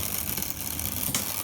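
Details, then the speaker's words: Tri-ang Railways R.355 0-4-0 model locomotive from a joblot, first power-up on track after a long time unused: thin, rough whirring and gear chatter as the small motor labours unevenly, barely turning over; sluggish running, but signs of life. "it's starting off running better than the little diesel shunter obviously it's not running really at all but there is a form of life there"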